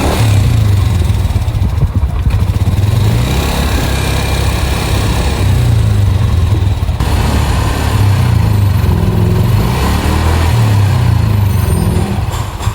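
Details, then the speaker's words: Yamaha NMAX scooter after a major service replacing the very loose cam chain, the leaking cam chain tensioner and the worn cylinder block, with new NGK plug and oil: a steady, smooth engine note with no ticking or rattle. The earlier noise is gone. "Sekarang udah aman ee suaranya udah hilang dan tarikannya udah jauh lebih enak dari sebelumnya, Guys."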